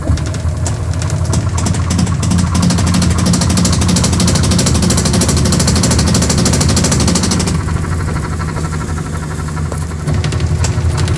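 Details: Sharp automatic washing machine on spin: loud regular hammering knocks about three a second with heavy low rumble; defective tub assembly.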